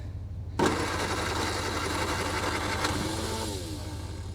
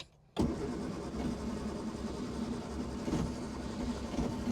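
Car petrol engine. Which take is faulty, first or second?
second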